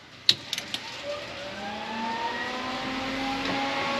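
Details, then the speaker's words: Datsun 240Z with an RB20DET swap, newly wired: the ignition is switched on and there are a few relay clicks, then the transmission cooler fan spins up with a soft whir rising steadily in pitch and settles into a smooth, normal run. "so when i kick the ignition on fan should turn for uh trans fan should come on so let's wait for that"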